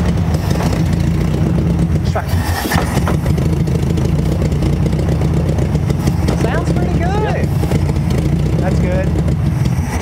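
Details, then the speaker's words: Free 1968 Volkswagen Beetle air-cooled flat-four first started after sitting abandoned over 20 years: steady, even low chug with no knocks or misses, running cleanly; why it was parked unknown, maybe brakes. "it ain't good it ain't nothing nice it sounds good i don't know i don't know why they parked it like i said hopefully it was something to do with the brakes"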